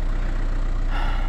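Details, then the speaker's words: VW Touran idling right after an oil change (5W30, new filter, old oil very black), hood open; it starts better than before, when it used to judder on starting. Smooth, low, steady idle with an even beat, no ticking or rattles: normal idle. "Déjà elle démarre mieux qu'avant, parce qu'avant elle broutait. Là elle démarre mieux. Donc on la laisse tourner."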